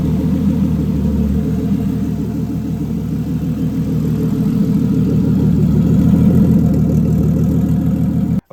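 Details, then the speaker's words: Toyota 2JZ on ECUMaster EMU Black with sequential fuel and spark, cold morning start: smooth, regular low idle with even firing, rising slightly mid-clip, no knock or miss, running rich on the warm-up cycle; normal. "so as you can see it's running kind of Rich that's because it's on a warm-up cycle so once it warms up it'll start to lean out"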